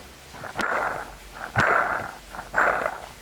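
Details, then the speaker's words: Vehicle overheating with coolant not circulating: with the fan belt off, the water pump pulley is turned by hand and gives gritty rasping bursts with a sharp click about once a second. The water pump bearing is bad. "We took off its fan belt and then when we started it, there was no sound and when we turned the pulley of its water pump, it made a lot of noise."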